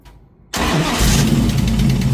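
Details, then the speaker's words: 1968 Dodge Charger after noise began under throttle, restarted: rough idle with fast steady light ticking over the rumble, pointing to the top end, suspected rocker, not bottom end; oil pressure good, valve covers to come off. "It sounds like a rocker or something. Right? Oh, shoot, yeah. Pull it into the shop and take the valve covers off."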